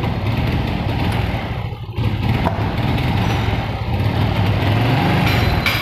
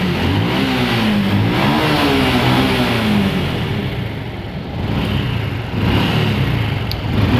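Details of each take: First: Honda Revo fuel-injected motorcycle, before repair: engine stutters and bogs when throttled, revs won't climb and sag instead; misfire traced to a faulty spark plug cap. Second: Honda Revo fuel-injected motorcycle that was sputtering, after replacing the spark plug with one under 4 ohms resistance: small single fires and revs smoothly with no misfire or stumble, holds idle; normal running.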